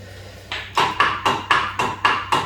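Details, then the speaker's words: 1951 British Seagull model 102 outboard: pulled over by hand after WD-40 wet compression check, sharp even knocks about four a second from up-and-down play in the shaft; owner hopes to remedy it before trying to run. "you want quite a bit of up and down play"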